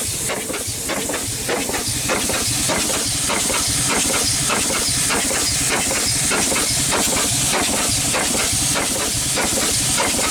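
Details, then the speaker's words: Over-100-year-old Chicago Pneumatic steam engine/air compressor, cylinder head off but still pumping on the bottom side, turning easily. Heavy steady hiss under uneven chuffs, about a hundred a minute. Steam leaks from worn seals everywhere; the unit is unbalanced, with no counterbalance, so it needs bolting down. "uh she definitely needs seals everywhere not a very balanced unit so it would be bolted down for sure"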